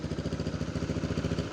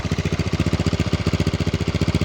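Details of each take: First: Neglected used Yamaha Mio scooter at idle: low, lumpy thrumming with a steady pulsing shake; the engine vibrates heavily at idle, cause not yet known. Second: Used, neglected Yamaha Mio scooter, single-cylinder: even, fairly rapid thumping idle with a couple of light blips and strong vibration; engine judged in good condition.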